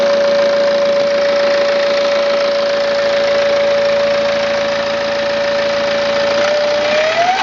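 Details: 2009 BMW E90 320d diesel, 130,000 km, at idle: steady high whistle holding one pitch, then wavering briefly; suspected whining turbo, unconfirmed.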